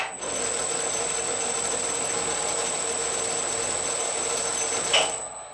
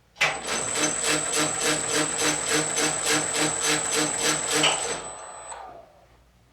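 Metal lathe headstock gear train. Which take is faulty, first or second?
second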